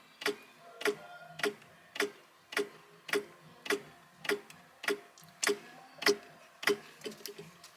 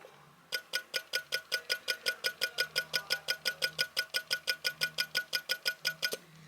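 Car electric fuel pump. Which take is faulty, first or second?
first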